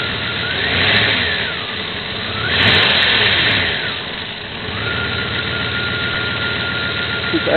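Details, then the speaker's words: 1994 Jeep Grand Cherokee 5.2 L V8 that struggles to start in humidity and temperature swings: a rough idle that surges and sags, struggling to stay running; later traced to a gunked throttle body and leaking intake manifold and plenum gaskets. "really rough right now oh yeah let's check out the timing light see if it's the ignition [Music] system"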